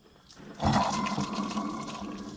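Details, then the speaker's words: Caterpillar RD4 antique transmission rebuild: hand-spun shaft bearing removed from the transmission gives a gritty, rushing whir fading on coast-down, worn rough bearing with excessive play, alongside worn gears and a toast pinion bearing. "Silent bearings were made up by big bearing to sell more bearings. That's what they're supposed to sound like. And they're supposed to have that much play."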